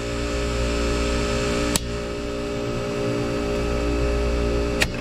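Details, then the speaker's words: Commercial refrigeration unit with Paragon 8000 series mechanical defrost timer, just installed, spun manually into defrost; steady compressor hum broken by two sharp clicks about three seconds apart, compressor stops; defrost timer switching normally. "once that PIN reaches here it's going to take us into defrost so we're going to listen for a click and at first big click should mean the compressor should stop"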